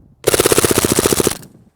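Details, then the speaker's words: H&K MP7 green gas blowback airsoft gun, .20 BBs, full auto in very cold weather: quick burst of about fifteen shots near 14.7 rounds per second, soft weak reports; sounds like running out of gas but cold is lowering gas pressure. "You can hear how the weapon is actually running out of gas. It's actually not out of gas, but again, it's really cold out here."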